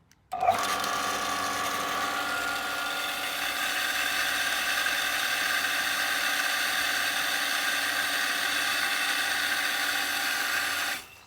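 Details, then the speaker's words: Domestic water pump fed from the water tanks, switched on after a dripping garden tap was repaired: clean, steady electric whine for about ten seconds as it primes and pressurizes the system, then stops cleanly. "And when we flick this switch, you will hear the pump prime up and pressurize the system."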